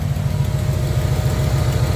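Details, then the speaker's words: 1994 Camaro Z28 V8 idling after new alternator and serpentine belt: steady, even low burble, belt squeak gone, slight exhaust tick remains; smooth again, normal idle. "That thing, you don't hear that belt squeaking no more. You still hear the exhaust a little tick, but other than that, that thing, woo! That thing smooth again, baby."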